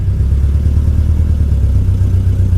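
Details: Camaro SS at salvage auction, strong raw-gas smell, tire pressure and turn signal warnings: deep, uneven, lumpy pulsing rumble at idle; engine running rough, cause unclear, won't move in gear and the transmission lurched.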